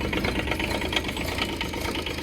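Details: Develon DX10/E10 mini digger small diesel just started cold after sitting a long time: uneven lumpy clatter with slightly irregular beat at idle, oil later found leaking from a loose pipe; rough idle.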